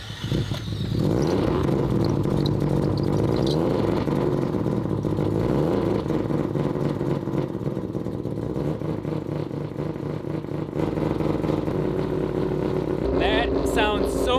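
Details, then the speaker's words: Three-rotor rotary engine after re-flattening a warped plate, with no leaks and the idle valve not yet adjusted, given a little pedal. A steady, crisp, choppy rap at idle with an even beat and no hiss or stumble; healthy. "We haven't even adjusted any of those settings, but you can hear that rap."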